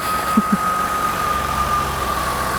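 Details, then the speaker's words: 1998 Ford Contour, no-start on old stale fuel, now idles steady and even with no misses and a faint constant whine after fresh gas was added to about half a tank. "Well, it's running now."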